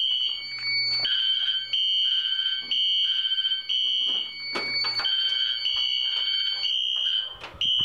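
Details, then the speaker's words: Fire alarm test with Wheelock Exceder horn set to sync mute: shrill horn keeps sounding in repeating bursts with short gaps after the panel is silenced, the normal sync-mute delay before the horn stops. "now since i have the wheelock exceeder on sync mute it takes a little bit for it to silence the horn"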